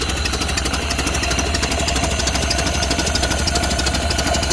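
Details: 1931 Ford Model A flathead four, 200.5 cu in, after sitting 67 years. Carburetor and internal filter cleaned after flooding; slightly choked. Slow, even putter around three beats a second with mechanical chatter on top. Normal low idle.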